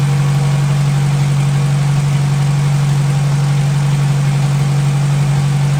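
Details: 1957 Hercules Power flathead four-cylinder engine with magneto, restarted after topping up oil by a quart: deep, even hum with steady firing beat, no ticks, knocks or stumbles; normal clean idle.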